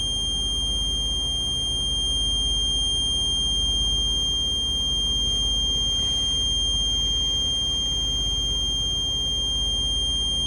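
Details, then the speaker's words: Air-brake truck during the low air pressure test, parking brake released, engine held at about 2,000 rpm: steady high-pitched low air pressure warning buzzer over the engine. "Okay, my low air pressure alarm has gone off."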